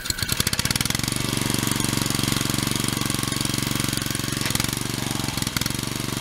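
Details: Pressure washer after pump replacement: steady, fast putter of a small single-cylinder petrol engine with even pump pulsing throughout and no misses or knocks; running normally.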